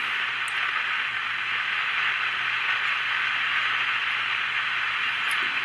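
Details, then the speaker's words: Magnavox AM-80 transistor radio: only an even rushing static with a faint low hum, an occasional hint of a voice but no station coming through; suspected off frequency, converter transistor not getting warm. "I mean, you can hear the static in there, and every once in a while it seems like you hear a voice in there."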